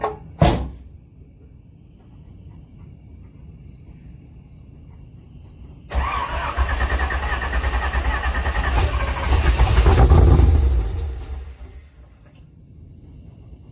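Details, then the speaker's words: LS2 V8 in a third-gen Camaro pro-touring car after an oil change and cold start: quiet idle rising into a strong rev that swells and settles back, no knock or tapping; earlier knocking gone; normal running. "do sounds good [Music] that knocking is gone"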